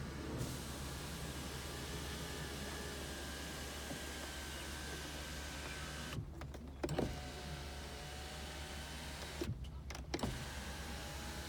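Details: 2001 Toyota Avalon, 3.0 engine, automatic, 174,242 miles, front-end hit: steady low motor drone with two short whirring travel runs, each ending in a soft stop; sunroof motor running normally.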